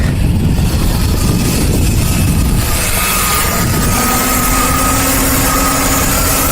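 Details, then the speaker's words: Ford Taurus with P0171 and P0174 lean codes, idling after cleaning and tightening a leaking hose clamp; no hiss, and the engine no longer changes speed when sprayed with cleaner: steady, healthy idle after the vacuum leak fix. "that's much better I can put my hand back there move it around it doesn't hiss no more I'll spray some cleaner on it engine doesn't change speed no more"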